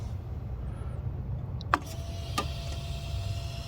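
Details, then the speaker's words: 2001 Chevrolet Monte Carlo 3.8L with random stalling, stumbling and no-starts: engine off, wiggling a connector at the faulty ignition module falsely triggers the injectors, giving sharp irregular clicks and RPM signals up to 32,000; failing ignition module. "and when it does that it's also sending impulses to the injectors and when i wiggle this back and forth you can hear them they freak it out i was getting rpm signals up to 32 000 rpm just a little while ago and that's me wiggling it you can hear the injectors just fritzing out"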